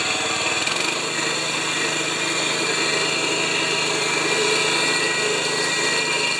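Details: 196cc petrol plate compactor, found overfilled with oil and refilled, at full throttle. A steady high-revving buzz with fast, even vibration and no misses or knocks: normal running.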